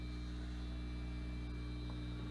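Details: 1968-69 Farfisa Combo Compact Deluxe organ on the bench, leaking capacitors: low steady buzzy electrical hum with no notes playing, noisy power supply.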